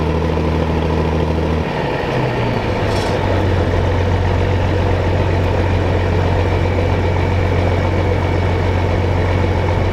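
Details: John Deere combine diesel engine starting on a hot day; catches and settles into a steady, even low idle with no knocks or misses; normal idle.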